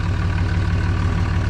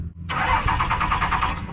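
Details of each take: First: Diesel truck idling steadily and evenly with a uniform low throb, no misses or knocks, after the crank-no-start was fixed; it had been out of fuel. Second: Diesel truck cranks steadily at about eight chugs a second but won't catch; no power reaching the fuel pump so no diesel gets through; fuse under the hood suspected.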